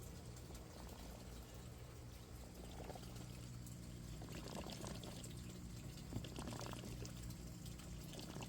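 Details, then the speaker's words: Aquaponics grow bed bell siphon finishing its drain: irregular watery gurgling and burping as the last air escapes; siphon breaking normally. "hear that noise that gurgling that's the belly and finishing up all the air coming out of it it's burping it's finishing up"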